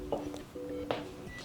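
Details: Google TV Streamer won't turn on, repeating short electronic tones and soft clicks as it tries to boot; powered from the TV's USB port, which gives insufficient power; fix is plugging its supply into a normal wall outlet.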